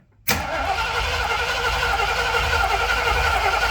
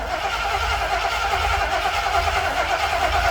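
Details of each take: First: Old starter cranking after a bad connection was fixed, measured with an amp clamp at about 200 amps: strong, even cranking for about six seconds at steady speed, no clicking or dragging; normal starter cranking. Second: Old starter cranking, amp clamp reads 294 A peak then about 200 to 270 A, battery audibly dying: slow, labored, even churn with no catch, starter dragging; slow cranking from weak battery.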